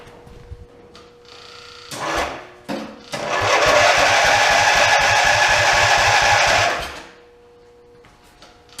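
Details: OMC Mustang 310 skid steer, first start after an engine rebuild, also not charging: the starter churns in a steady, rapid rhythm for about four seconds and the engine never catches. Crank, no start due to no spark.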